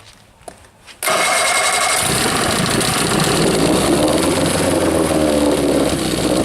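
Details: Rebuilt 1963/64 Evinrude 40hp two-stroke outboard, out of gear, restarted with a little throttle and choke pulled: fires after short crank then runs rough, coughing and misfiring, the "Evinrude sneeze"; mixture adjustment tried next.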